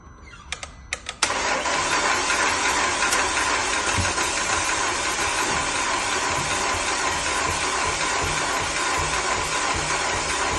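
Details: 2009 Audi A5 2.0 TFSI: a few clicks, then the starter spins the engine with an even rhythmic chug for about ten seconds but it never fires; cranks, won't start.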